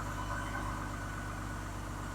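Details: Toyota Supra MK3 idling just after its first start following reassembly: steady, low, even idle with no knocks, ticks or misses over a quiet background; engine sounds healthy and settled, with no leaks seen.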